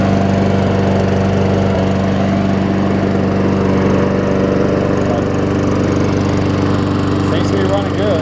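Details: Toro six-and-a-half-horsepower Tecumseh self-propelled mower after repair, with new blade, carb clean and full service. The single cylinder holds a steady, even drone at constant speed with no misses or surging and runs healthy.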